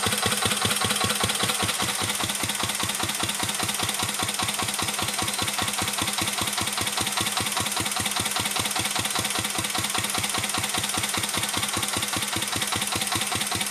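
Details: 1949 Petter A1 air-cooled single-cylinder stationary engine running a homemade "Bitsa" generator: slow, even beat at about 150 a minute with a crisp exhaust tick, steady under load; healthy engine, normal running under load.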